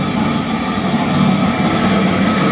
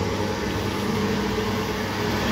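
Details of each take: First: Old heavy 3-phase lathe first power-up: loud harsh steady rattling roar; loose slapping drive belts from a non-original broken tensioner with stripped threads and no locking bolt. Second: Old lathe after removing a part and lowering the motor to tighten the belts (slightly unequal lengths, one a bit loose): steady even whir, no slapping or squeal, much quieter; normal running.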